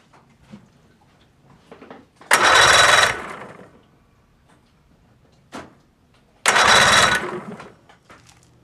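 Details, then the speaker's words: 50 hp Mercury outboard, starter was dragging, after replacing a bad solenoid: two short bursts of the motor catching and running cleanly, run briefly without water hooked up; starts without trouble. "that solved the problem thirteen dollar solenoid and I'm ready to go fishing"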